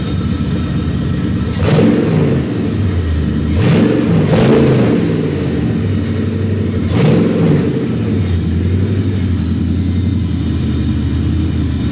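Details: Nissan G35 with VH45 V8 swap, first start after three months, fuel rail converted, no cooling connected so run only briefly under a loud blower fan: smooth idle climbing cleanly through quick blips, no knocks or misses.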